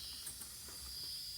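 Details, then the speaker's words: 12-valve Cummins with compound turbos after resealing boost leaks: faint, thin high-pitched hiss holding steady with brief spurts, air escaping past the base plate to grid heater intake gaskets, which ripped on removal and need replacing. "A couple little hisses around still here and there. These gaskets that go from this base plate onto where the grid heater are, which has this bump out here."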